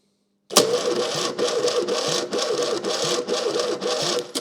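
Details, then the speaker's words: Fiat 600 engine on a jump pack: laboured, slow cranking under two pulses a second that never catches. Weak spark; owner suspects the rough, warming starter motor is labouring and drawing the spark away. Not confirmed. "It has a spark, but it's a bit weak. I think it's labouring, that starter motor's labouring so much it's drawing the spark away."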